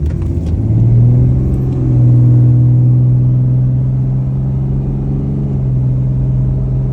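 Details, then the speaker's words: Dodge 68RFE transmission with new clutches, underdrive and overdrive packs upgraded to double-sided Borg Warner frictions, new valve body and solenoid pack, stock power trans tune, taking off at 3/4 throttle: a deep droning hum at steady pitch. Noise persists, cause unknown. "I'm going to take off 3/4 throttle, stock, power, trans tune. See if anybody can tell what this noise is."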